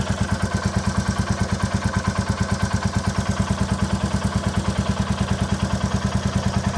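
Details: 2022 Royal Enfield Classic 350 Reborn, stolen and crashed, first start after recovery: loud single-cylinder idle thumping about three times a second with a clattery edge, described as tappety noise; owner plans a proper service.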